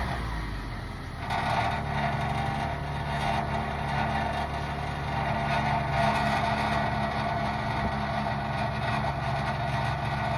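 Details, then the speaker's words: Toyota Alphard, engine started and idling: a tinny, buzzing rattle over the low hum, also heard while driving, traced to a loose exhaust heat shield; the rattle had become critical, located and fixed. "I'm not investigate that far end because I've managed to find the source of the problem, which is this heat shield here, which just protects that petro"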